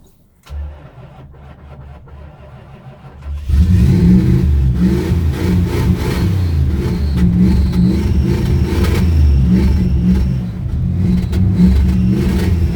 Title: cold hard start on an old 1971 Plymouth fury